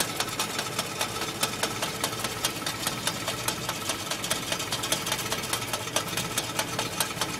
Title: Willys MB Maltournee Clutch Rattling Noise